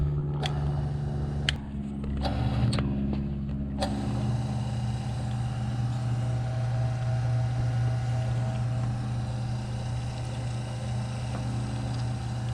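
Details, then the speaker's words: Electric wire stripper stripping wire: a few clicks as cable feeds in, then a steady quiet low motor hum, even under load; smooth and quiet, running normally. "let's see how it does against thick medium and thin wire nice and smooth and quiet"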